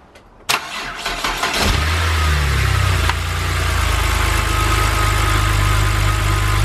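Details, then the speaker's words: BMW N52 after valve cover and Valvetronic motor gasket replacement, first start: short crank, quick catch, then an even, steady idle with no knocks or misses. Some smoke came from oil drips on the exhaust, judged nothing major. Normal start and idle. "and since we knew that the engine fired up with no issues then i went ahead and reinstalled everything back to how it should be"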